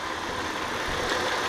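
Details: 2001 Audi A4 Quattro 2.8 L 30-valve V6: uneven, lumpy idle with ragged beat, misfires on cylinders 1, 2, 3 of bank 1 (bank 1 fuel trims off); oily plug wells found, cause given as jumped timing belt.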